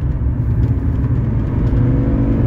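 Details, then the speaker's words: 1982 Mercedes 300SD diesel, one owner, 93,000 miles, on the road: kickdown engaged, and the deep rumble builds steadily under load with no slipping, flare or clunk; automatic transmission kickdown works normally. "hear it kick down into gear the kick down switch is uh working great there's no problem keeping up with traffic"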